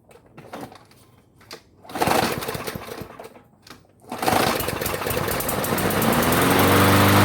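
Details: Craftsman self-propelled mower that stalled when cutting or engaging drive, carb previously cleaned, debris removed, fuel added and three primes: catches after a few pulls and settles into a steady rising drone, no sputter or surging; normal running.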